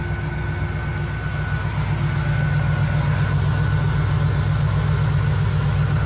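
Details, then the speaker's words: 1975 Cadillac Fleetwood V8 idling after resealing the valve cover gaskets, oil pressure building and temperature rising normally; steady, smooth low rumble with no misses, knocks or ticks; normal idle, with slight smoke from old leaked oil burning off. "Pressure building up. Temp's rising, it's normal. Everything looks good."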